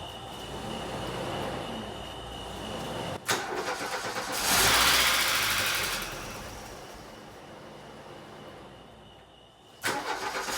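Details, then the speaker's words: 1989 VW Fox, fuel injected, revived after sitting about eight years, in neutral with coolant system filled with water: cranks and catches briefly but won't keep running; owner suspects fuel starvation, possibly just out of fuel. "Definitely needs fuel. It definitely has a fuel starvation issue."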